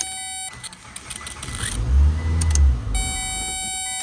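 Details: 2002 Mitsubishi Lancer with intermittent no-crank from a faulty ignition starter switch: quiet clicks from the key, then a brief crank and a low rumble as the engine catches and settles; starting normally.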